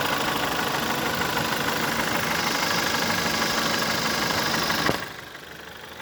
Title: VW 1.4 TSI 2009 CAVD - engine loud knocking clicking noise on idle and low revs